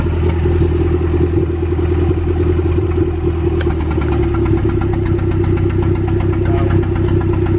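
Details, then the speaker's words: B20V turbo Acura Integra, piston damage again; loud steady turbo-four idle with an uneven, lumpy beat, one cylinder dead with zero compression from it being cracked, smoking everywhere; misfire, cracked piston suspected. "Man, it one's running hella mania though. There's just zero compression from it being cracked."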